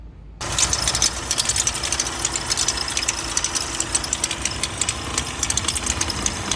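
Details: VW Amarok diesel engine running with a loud, harsh metallic clatter over the idle after its high-pressure fuel pump burst, leaking diesel everywhere and smoking on the road.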